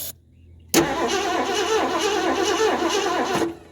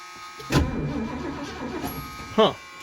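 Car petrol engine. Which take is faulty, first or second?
first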